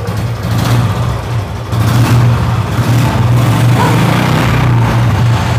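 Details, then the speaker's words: Motorcycle running on petrol just mixed with water: strong, steady engine beat with some revving, no misfires or stumbles yet, still running cleanly; water is heavier than petrol and takes time to get through. "अभी बिल्कुल first class है ना है और पानी भारी होता है"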